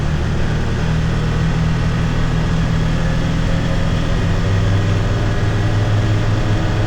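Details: 2022 Can-Am Defender HD9 DPS cab with factory heater, after foam weather stripping fixed the loose, vibrating heater core; steady low engine and road drone under light acceleration at 30-45 mph, no dash rattle, faint tingy sound.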